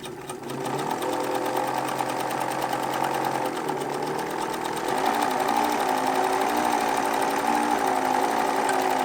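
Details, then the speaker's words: Pfaff 801 sewing machine with the Pfaff 807 motor swapped in: steady hum with a rough fluttering vibration about four times a second. Vibration likely from a flat spot on the rubber drive wheel left pressed against the hand wheel during storage. "apparently sitting there in that position for a length of time creates a flat spot which would explain that vibration"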